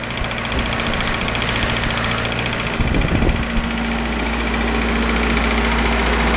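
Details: Isuzu 4BD2T turbo diesel at initial startup, warming up until the thermostat opens: steady low idle clatter with one brief thump partway; good oil pressure, only minor issues, healthy engine.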